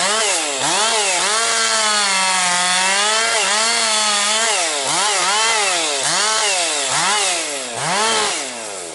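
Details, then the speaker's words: Rebuilt Husqvarna 262XP chainsaw, still breaking in with compression coming up, bucking low-grade pine firewood: a strong two-stroke howl dipping and recovering about once a second in the cut, then revving clean; runs strong and holds idle. "It's uh running really strong now. Now she's breaking in that uh really picking up power."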